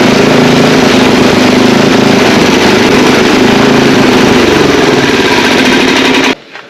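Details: Old ST824 8 hp snow blower after valve clearance set and carburetor adjusted: fast, fairly even chug at steady speed, then cuts off cleanly; runs and starts halfway decent now; ignition switch may need work.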